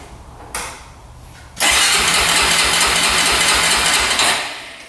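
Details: 2004 Honda 400EX single-cylinder quad after carb clean and valves adjusted to spec (compression went way up): cranks, catches, runs rough with ragged exhaust beat; still bogging, cause unconfirmed.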